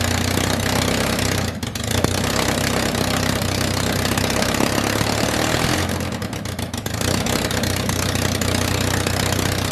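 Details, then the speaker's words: MG Midget with swapped engine, first start after completing the fuel system: runs unevenly, speed sagging and catching twice in ten seconds; won't hold a steady idle unaided, idling issue unresolved. "well good news is we know that fuel's getting to it because that's obviously not the starter fluid anymore there's some mad flames i mean it dies without it"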